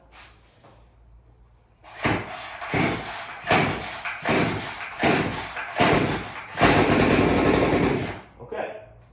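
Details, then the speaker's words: Stihl FC56 lawn edger, cold start on starting fluid; small two-stroke catches and sputters in uneven bursts for a few seconds, then dies. Shows enough compression to run; fuel delivery suspected, not confirmed: runs only on starting fluid. "So, we got good news. It will run."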